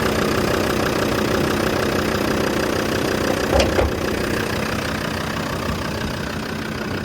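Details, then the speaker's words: 2000 Land Rover Defender 90 Td5 turbo diesel, low mileage and fully serviced, fires right off on the key: even, steady diesel clatter at idle with no misses or odd knocks; burns really clean, sounds good. "She burns really clean. Sounds good. Fire the key. It pops right off."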